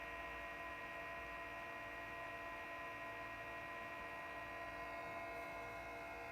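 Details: Behringer EPQ304 300 W 4-channel power amplifier idling with no music, microphone moved close: steady whirring fan with several constant whistling tones; fan starts mild and gets louder over time, too noisy for quiet church use.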